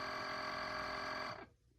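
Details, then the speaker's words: Chefman single-serve K-cup coffee maker with 40-ounce reservoir, 6-ounce brew; loud, steady buzzing drone with shrill overtones that cuts off sharply after about a second and a half at end of brew; cause unknown, coffee not very hot. "That was incredibly loud."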